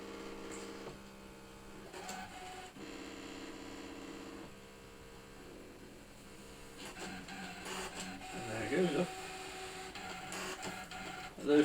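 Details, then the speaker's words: Brother ScanNCut DX running a calibration cut on a loaded mat with the scanning lever at position 1: soft, steady motor hum with light stepping ticks; healthy calibration run, though the paper then tears. "Those who've watched the previous one will note how much quieter it is."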